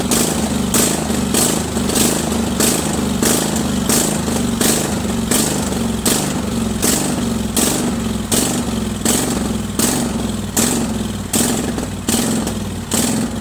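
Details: Craftsman 20.5HP 46" lawn tractor, Kohler Command V-twin, choke off, before carburetor cleaning: idle rises and falls in regular surges about every three-quarters of a second, surging badly at all throttle speeds from a dirty carburetor.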